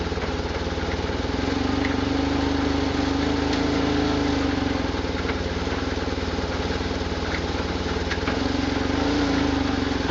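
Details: 1999 BMW R1100RT-P motorcycle idling: light, loose, distinct rattle from the engine over a steady beat, no better or worse in first gear, loudest with the microphone near the base of the handlebars.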